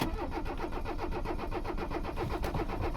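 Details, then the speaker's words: Abandoned Mercedes 300CD diesel in 93°F weather, no ether, after one glow-plug cycle. The starter chugs evenly at about four compressions a second with no firing. It cranks but won't start, and the owner suspects it needs ether. "Yeah, nothing. Alright, so she may be an ether only kind of girl."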